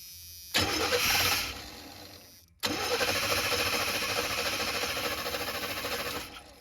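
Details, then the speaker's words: Chevy G20 conversion van, fuel system being freshened, old fuel smelled terrible: two bursts of even starter chugging, about three a second, never firing; cranks but won't start, one injector sprays while the other does nothing. "This injector's firing good or spraying good. This one's doing nothing. So, we're going to test and see if the injector clicks."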